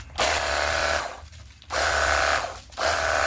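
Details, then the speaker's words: Battery-powered portable jet cleaner pump after repair of a dead motor: three strong, steady bursts of motor buzz and spray with clean stops; runs calmer and smoother, working normally. "dan suaranya lebih kalem ya, lebih halus."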